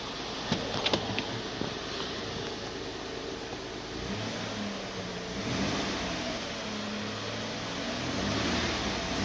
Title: Uplander Misfire